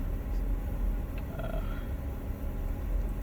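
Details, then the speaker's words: A deep engine rumble idles on startup with the speed drifting up and down instead of settling, until it steadies after about 43 seconds. The owner first noticed this hunting, uneven idle after the PCV valve was replaced. "let's start on startup i'm having issues with it idling kind of kind of weird you can see where it's kind of going up and down there"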